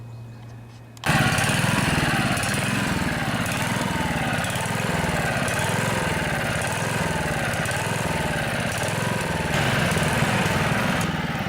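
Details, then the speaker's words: Honda HR215 lawnmower, warmed up: starts then revs rise and fall in a steady hunting cycle at low and high speed, runs only on choke; fuel delivery problem, plugged carburetor slow jet. "so the engine was warmed up and it was still surging I can tell that the throttle mechanism was working correctly"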